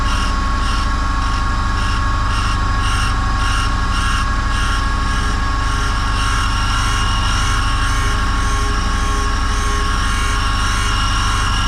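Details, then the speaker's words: Land Rover Series One 1600cc engine valve on a refacing machine: steady motor hum with a smooth, even grinding rasp and a rotating pulse, now grinding all the way around after the distorted valve was corrected. "and that's it that's grinding all the way around now so that's uh corrected that valow"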